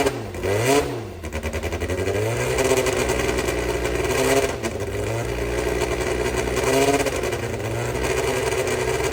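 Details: Brabham BT21 historic one-litre F3 race engine, first fire-up after rebuild (new crank, balanced conrods, new sump), oil primed, cold: crisp start and blips, revs rising and falling cleanly, no knocks or rattles; oil pressure good, normal running.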